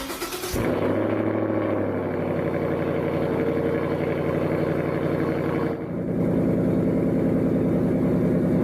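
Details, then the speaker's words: Jeep Renegade at idle, owner reports loud engine noise: rapid uneven knocking over the idle comes from a loose, worn A/C compressor with visible play, not the engine itself; A/C compressor knock. "o barulho aqui é o ar condicionado pessoal Olha a folga tem nessa nessa aqui sério bom então barulho de motor que ninguém resolve pode ser também de ar condicionado"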